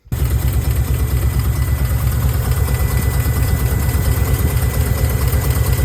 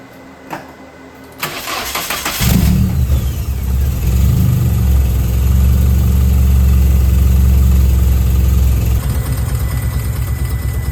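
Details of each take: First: 1990 Nissan 240SX hatchback KA24E four-cylinder at idle: deep, lumpy, uneven chugging that shakes engine and hood; ECU code 45 showed injector leak, fixed with new injector seals. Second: 1990 Nissan 240SX KA24E at start after new spark plugs, injector seals, throttle body cleaning and cold air intake: fans whir, engine catches and settles to a smooth, even idle with deep exhaust rumble, rough idle fixed.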